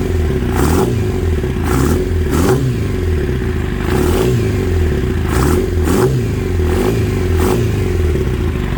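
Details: Kawasaki ZX9R four-cylinder sat 10+ years, first start on 2-cycle gas poured in, battery charger attached, fuel shut off so it runs the float bowls dry: steady drone with irregular surging bursts; vibration felt in handlebar, doesn't sound right; cause unknown.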